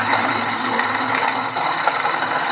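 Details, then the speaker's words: Manual disc fabric-cutting machine with sharpener released: even high-pitched motor whine with light rasp, calmer, but faint roughness remains from damaged small bearings needing replacement. "arulho tá esse barulho quando eu tirei aqui que fez esse barulho é os rolamentoszinho dela que tá estragado e essa maquininha veio para isso para substituir os rolamentos"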